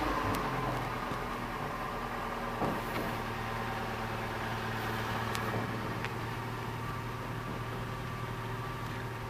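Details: Opel Astra Ecotec after replacing the faulty crank position sensor (P0335, cranked but wouldn't start): engine settles into a smooth, even idle with steady low hum, no stumbles or knocks; running properly.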